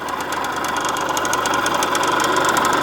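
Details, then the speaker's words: Suzuki TF185 two-stroke, carb cleaned, fuel flow and air filter OK: uneven, lumpy idle with a ragged knock about three to four times a second; owner suspects low compression, with timing, plug and ignition still to check. "I don't like that sound. I've gone through the carburetor. I've checked fuel flow. We've got fuel flow. Air filter is good."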